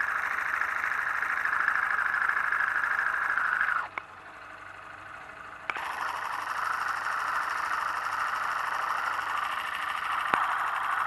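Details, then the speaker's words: Motorcycle engine of a new bike with no noise problem, heard through a screwdriver used as a stethoscope: fast, even ticking and light knocking over a steady hum; normal internal engine noise amplified, nothing wrong. "e aquele barulho que você ouviu o ruído melhor dizendo são os ruídos característicos das parte interna do motor amplificados"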